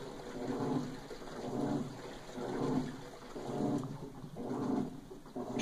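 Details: Electrolux LTS12 washer, eight years old, loaded with clothes and blankets, automatic level, 25-minute program, previously shut off mid-cycle: water sloshes in even surges about once a second as the agitator strokes; washing normally.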